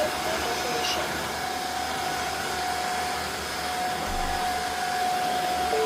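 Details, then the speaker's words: Tineco Floor One S5 wet vacuum, reassembled after repairing a suction motor that wouldn't run: smooth, steady high whine at constant pitch, no rattle or surging; suction motor now running normally. "Now as you can see it works very well and you can hear the suction motor that is it is also turning."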